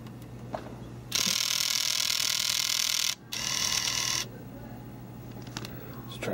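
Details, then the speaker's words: Nintendo Wii that keeps ejecting discs: two bursts of high whirring from the drive motor, then quiet; motor not pulling the disc fully back, loading mechanism fault, drive later replaced. "something about the motor not bringing this thing all the way back for some reason because I think this should like lock most likely or something"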